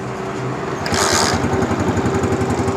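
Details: Honda CG125 motorcycle that won't idle despite new plug, ignition coil and CDI. Uneven stumbling single-cylinder putter that dies when the throttle is released or slightly opened; an air leak at a torn carburetor insulator.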